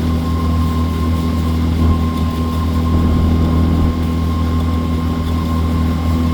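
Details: Outboard on a water test run after injector cleaning and replacement, checking it won't stall: deep, steady drone with constant tone and no sputter or dropouts; running smoothly.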